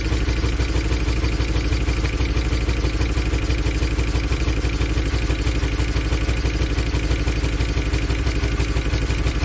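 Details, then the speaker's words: 2013 Chevy Tahoe ex-police V8 (LS, DOD), started on a fresh battery: lumpy, uneven idle with a steady stumble about three times a second; a bad miss. Oil pressure is good, and a stuck lifter is suspected. The scanner later shows a random multiple-cylinder misfire. "as you can see it's most definitely got a bad Miss in it [Music] yeah it really good oil pressure so it's probably just a stuck lifter in it"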